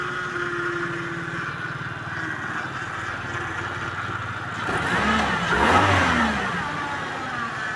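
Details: Suzuki Vitara power steering after cleaning reservoir and strainer and replacing foaming fluid; engine idles then revs at full lock with no rising whine. Pump sounds quiet, normal power steering operation.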